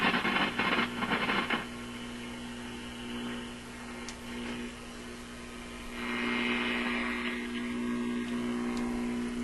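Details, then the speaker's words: RCA Victor 65U radio/record player after replacing the power supply capacitor: low garbled hum rides under station audio while tuning; suspected to be hum getting into the IF, not power supply hum, since it disappears with volume down. "Okay, so that sounds to me like some kind of hum getting into the IF or something of that sort. That's what I imagine when I hear this kind of garbly sound."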